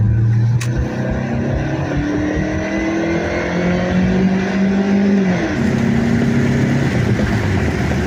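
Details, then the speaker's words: 1998 Dodge Neon single-cam automatic after valve cover gasket, cam sensor seal, plugs gapped 0.035, wires, air filter and PCV valve: engine pulls smoothly up through the revs on a road drive, even drone, no misses or knocks; normal acceleration. "Let it run for a few minutes and we'll take it for a spin. Okay. Yeah. Sounds pretty good."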